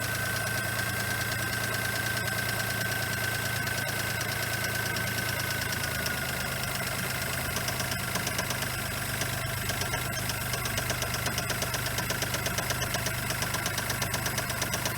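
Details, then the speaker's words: $300 Geo Metro small petrol engine idling with steady deep knock about three a second, earlier masked by squealing; suspected bad rod (rod knock). "You're not with I think it's got a rod. Bad rod."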